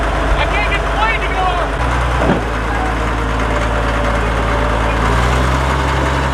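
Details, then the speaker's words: Caterpillar D7F dozer at its first start in 10 years, starting within 3 seconds: a deep, steady diesel rumble holding even, with no knocks, misses or surging. It idles healthy. "Did you hear it? It sounded amazing. Like, I really didn't even expect it to start that easy. I just hit the key and within 3 seconds, it was running."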